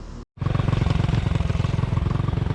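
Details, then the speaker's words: Honda CT70 with swapped engine, in neutral at first start: small single thumps with an uneven, lumpy beat and a loose clatter; runs poorly while being tuned, owner thinks it may need bigger jets. "All right, we got her running. We've been trying to get her tuned in. I think we might need bigger jets."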